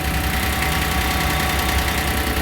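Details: Bolens G152 small three-cylinder diesel tractor, started at about -1°F in Michigan after a magnetic block heater and a jump start; even rhythmic clatter at steady idle, no misses or hunting; normal diesel idle.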